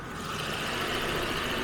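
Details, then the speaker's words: 1977 Jaguar XJ12 V12, first outing of the season after storage, running on last year's fuel, left exhaust due for redo, AC clicking on; quiet, seamless hum with no lumps or ticks, soft even purr under hiss; smooth, healthy idle. "but it's just running beautifully anime we're still running on last year's fuel that's not bad"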